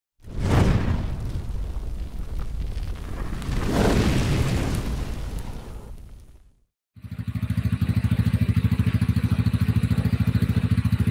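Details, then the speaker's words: Honda Beat scooter at steady idle with a rough, even churning knock about three per second from inside the engine; worn crankshaft bearing, not the CVT belt drive or fan. "trouble suara dari dalam sini bermasalah Ini masalahnya di lahar setang trouble ada suaranya kayak gitu sebagian orang mengira ini CVT ya"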